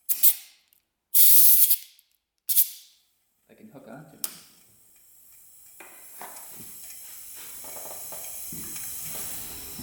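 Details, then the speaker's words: 2006 Yamaha YFZ450 quad that was blowing white smoke, engine off, cylinder pressurized with compressed air for a leak-down test; sharp air blasts then a faint steady hiss as air bubbles into the radiator; blown head gasket. "if you hear air coming out of the radiator that means that the head gasket is blown or not sealing properly"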